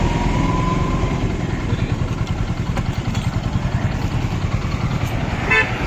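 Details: Hero Glamour motorcycle single-cylinder engine after piston ring fitting: running steady and even at idle with a low, regular thump and no knocks or rattles.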